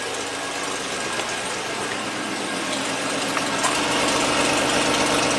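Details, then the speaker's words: 1990 Buick Regal GS V6, previously severely low on power and misfiring, restarted after an injector was poked with a screwdriver: steady, even idle with no misfires; IAC 35, MAP 11.8. "don't hear any misfires let's take a look at Live Scan data oh yeah that's that's what a V6 should sound like and feel like"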